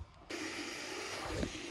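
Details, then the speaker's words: Water storage tank float valve refilling the tank from a solar pump as two tanks equalize toward 8,000 gallons: a sudden steady hiss of water rushing through the valve. The float valve is open and the tank is filling normally; it seals once the level rises. "I can already hear the float valve going on that tank again and we're going to have 8,000 gallons of water in no time"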